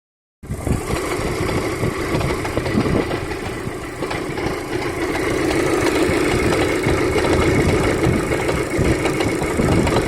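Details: Daewoo Lanos, 190 mileage, oil changed about 1,000 km ago: rough idle with a fast, uneven tapping that carries on as revs rise; engine knock, cause unknown.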